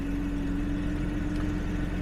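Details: 1970s Jaguar (1975 XJ6 or 1977 XJ12) being checked for charging, battery about 13 V: smooth, even idle with faint steady hum on top, no knocks or misses; normal idle.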